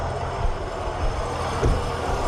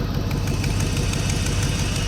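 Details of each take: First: Third-gen tow vehicle at idle: worn A/C compressor makes a loud, rough roar with uneven rattle on top, worse with heat on, something visibly loose flopping inside. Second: Third-gen tow-pig truck just fitted with a junkyard A/C compressor, started with A/C and heat off; steady, even low idle with no knocks, ticks or compressor grinding, normal idle.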